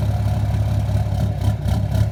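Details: 2013 Dodge Ram 6.7 Cummins diesel, fully deleted, FCA replaced: idle lumps and hunts with deep uneven pulses, a dull knock and slight surge; also burps off throttle and idling in drive; runs fine at open throttle; cause unknown.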